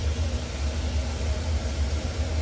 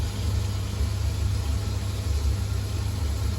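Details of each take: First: Newly installed ECA combi gas boiler after a combi swap, on hot water demand: steady low burner roar with soft even hum, no knocks or whistles; normal running. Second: Old Ocean Alpha 240 gas boiler, case partly off, unserviced, on heating and hot water: steady burner and fan roar for about 20 seconds then dies away; cuts out after ignition, found snapped corroded flue fan connection, boiler condemned.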